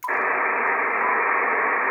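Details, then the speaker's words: Icom IC-7300, no antenna, audio at maximum: steady even hiss of the receiver's internal noise, which the RF gain control cannot reduce at all. "now these controls here the RF gain have absolutely no way of reducing the transceiver noise the receiver noise in here these are absolutely useless for that thing"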